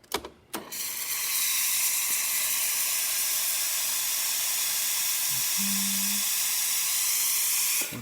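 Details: Breville Oracle espresso machine after service to fix a loud buzzing noise, with a part replaced and all gaskets on both boilers renewed: strong, steady high-pitched steam hiss with a couple of clicks at the start; steam wand normal.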